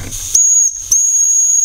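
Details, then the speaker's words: Old small model steam engine, not run in about 20 years, fired up: high sharp hissing in short bursts as steam escapes, boiler has come up to pressure; steam hiss under pressure. "she's got pressure"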